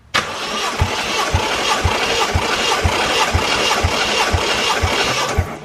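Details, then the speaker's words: 1JZ VVTi (JZX110 single-turbo, drive-by-wire) engine cranking on starter during compression test; even regular pulses about twice a second, no weak strokes, 180 on all six cylinders, healthy even compression after engine verified running. "that's what I'm talking about 180 across the board so now we've started the engine we verified it runs we have recompression checked and verified that it's even across the board"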